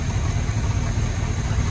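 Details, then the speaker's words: Chevrolet C20 squarebody at idle after a distributor rotor replacement; the earlier intermittent idle pops are gone, though a Y-pipe exhaust leak colours the sound: a steady low rumble with an even beat and no knocking or skipping; running normally. "it just kind of a little goofy but now it seems okay and i know i can't really go off of much because of that dumb exhaust leak on the y pipe but"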